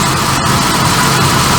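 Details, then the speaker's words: Barn-find Jaguar Series 3 V12 after fuel tank cleaning, new sender and solenoids: smooth idle with slightly lumpy beat, occasional dropped pulse, miss on both banks; injectors tested clicking, plugs suspected next. "Still sounds like she's starting with fuel. Definitely missing a bit. I've got a miss on both tanks."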